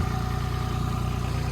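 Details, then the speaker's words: DX27 excavator diesel, cold machine idling to warm the engine oil before a 500-hour service (fuel filters, air filters, engine oil). Steady, even low chug with no knocks or misses; normal cold idle. "So I've got the engine just idling there just to warm the engine oil through because the machine was cold."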